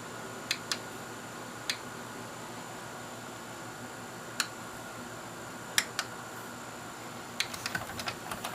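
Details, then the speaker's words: Sylvania DVD/VHS combo switched to DVD and played: sharp scattered clicks and ticks over faint fan hiss as the disc lens hunts for focus; lens clicking while focusing. "so we'll stop switch over to dvd hit play doubt this is gonna work but you can hear the lens clicking"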